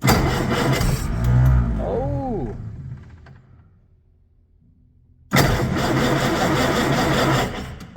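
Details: 1956 Century Resorter boat, marine flathead engine after years sitting in a field, spark confirmed good: starter churns it over at roughly three beats a second but it never catches; cranks without firing. Cause suspected, not confirmed.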